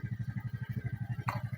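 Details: Suzuki Smash motorcycle small single-cylinder idling on an original regulator/rectifier: steady even beat about ten pulses a second, no misses; idles cleanly, whereas non-original regulators leave it unwilling to rev.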